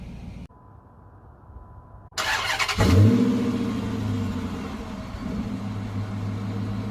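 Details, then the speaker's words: 2005 Dodge Magnum RT 5.7 Hemi after crankshaft position sensor replacement (aftermarket sensor): starter catches on the first try, a quick rev, then a smooth steady idle with no stumbling; check engine light gone. "And looky there, first try."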